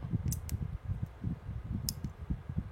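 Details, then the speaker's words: Somfy Centralis Uno RTS roller-shutter control module on the bench with 5 V supply, buttons pressed: crisp, sharp relay clicks about a second apart over low handling noise; relays switching and latching normally. "Donc je vais tout bêtement appuyer sur les boutons et écouter les relais en espérant qu'il colle. C'est bon. Donc on les entend."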